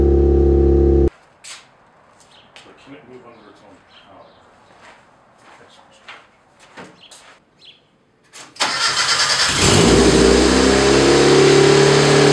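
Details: Built turbo 1.6 Mazda Miata after maintenance, during coolant fill and warm-up: engine stops, pauses, then cranks, catches quickly and settles into a steady, even idle; normal start and warm-up idle.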